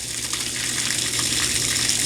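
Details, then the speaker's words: LG WT1101CW direct-drive washer after repair of sticking relay contacts on its control board (drain motor had run constantly): steady low drain pump hum under loud rushing water during spin, smooth with no knocking; drain running normally. "so now hopefully this thing will start spinning and well there it goes it's a running just spat the rag out drain motor is running"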